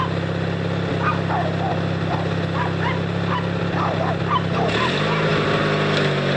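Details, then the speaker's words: 18HP Noma lawn tractor started by jumping the solenoid with pliers after battery charge: steady low engine drone, no stumbling or knocking, barking dogs in background, engine running fine. "yep she's a runner"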